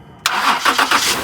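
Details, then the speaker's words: Car with completely dead battery jump-started using a JumpSmart flashlight jump starter pack: sudden catch, a few quick cranking pulses, then engine fires and settles into steady run; normal start. "That's great. My battery's completely dead, guys. That thing worked great."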